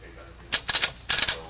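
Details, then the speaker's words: Mercedes W164 headlight with power applied to the high-beam pin: the HID shutter clicks crisply in bursts of three or four and the low-beam HID stays powered, so the shutter works normally. The suspected fault is the low-beam pin. "so that's hi right now you hear the shutter clicking several times and it still supplies power to the low beam"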